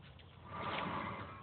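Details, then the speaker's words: 2009 Chevy 3500 HD dual-rear-wheel truck front wheel bearing, hub spun by hand: a rough, gravelly rumble that swells. The bearings are worn out and being replaced. "hear that. Those bearings are shot."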